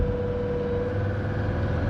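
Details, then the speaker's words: Mercedes-Benz S123 300TD, 722.315 automatic, about 720,000 km, after oil change, driving: diesel drones loud under full throttle, revs rise without acceleration in second or third gear; transmission slipping, worn clutch or friction plates or valve body suspected. "I'm actually unsure whether this is second gear or third gear that is just slipping away if I pull the throttle maybe hear the refs increase but no acceleration"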